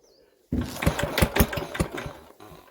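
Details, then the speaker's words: Old diesel engine, unstarted for about a month, not primed with the oil can, on a very cold day: a few heavy cranking thumps and near-catches, then it coasts to a stop; owner thinks it needs priming with oil. "oh that was very close weren't it i said i think if she'd have had a prime there she would have definitely started"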